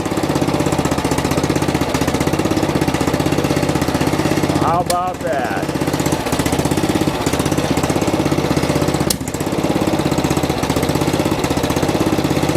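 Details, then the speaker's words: Old riding mower single-cylinder engine just refitted with a cheap Chinese knockoff carburetor, choked on startup, running fast with uneven tapping about four per second; owner suspects carbon on a valve; valve ticking noise, cause unconfirmed. "oh almost sounds like a piece of carbon in the valve or something"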